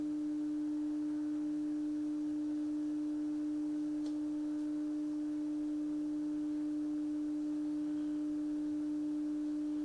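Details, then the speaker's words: 1960 Sylvania Dualette black-and-white TV: steady loud mid-pitched hum from the deflection yoke, like a lawnmower, with distorted, compressed picture geometry; attributed to bad capacitors needing a bulk recap. Deflection yoke buzz. "oh that's cool the yoke sounds like a lawnmower so why yeah this is just bad capacitors that's that's it"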